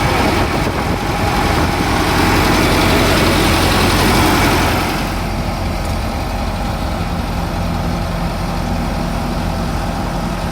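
Steady low diesel rumble with an even beat of about 220 per minute, no knocks or rattles; an old combine idling healthy.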